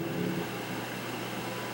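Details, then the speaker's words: Kaz V3100 humidifier on low speed: steady low growl under the airflow hiss, from the fan rattling because one of its mounting posts is broken; fan rumble from broken fan mounting post. "i'm going to turn it down to low speed there's a little bit of a growling going on there and i want to see if we can see if we can do something about that here so"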